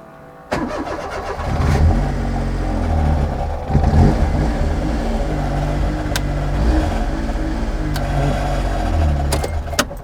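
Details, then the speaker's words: Daihatsu Mira 660 kei car during rebuild, on restart: cranks and catches with a rough, uneven grinding rasp under revving, sounding loose; grinding traced to timing belt tensioner rubbing the cover. "Basically, we're hearing that grinding noise every time I was trying to start the car, and I think I found the cause."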